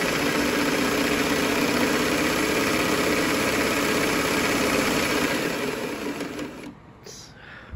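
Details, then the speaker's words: 1961 Singer 503 Slant-o-Matic Rocketeer sewing machine after oiling with Singer oil and blowing out fluff: fast, even whirr with steady needle rhythm about four per second, no knocks or grinding; runs smoothly. "oiled it with the singer sewing machine oil blew out the fluff and listen to this baby sing"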